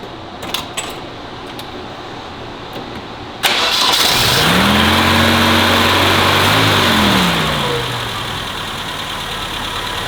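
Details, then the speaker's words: Vintage BMW 2002, after a kit and new spark plugs fixing a misfire: quiet until it catches at about 3.5 seconds, brief flare, then smooth, even idle with no stumble, slightly high; misfire cured. "That was it. I knew it was misfiring. That's awesome. Dude, that's perfect. It's a bit high, but that's really good."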